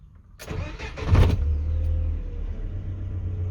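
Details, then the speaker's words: GAZelle Next with a newly installed Evotech 2.7 engine, after fitting the left-side body mount bolts to the frame. A short crank catches cleanly and settles into an even idle; the knock felt through the body at start and shutdown is gone. "Я уже стук пропал глушишь тоже ничего нет еще раз запускаю"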